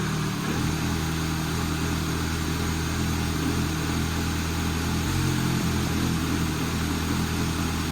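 Engine fires and settles into a steady, even idle with a smooth low hum and no knocks or misses; sounds healthy.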